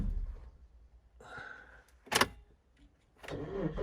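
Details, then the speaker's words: Suzuki XL-7 restarting after a six-mile drive to recharge a weak battery: brief crank, then the engine catches cleanly after a short pause and settles, so the battery has recovered. "oh the battery is back to life fantastic because i certainly didn't have to spend any more money on this car"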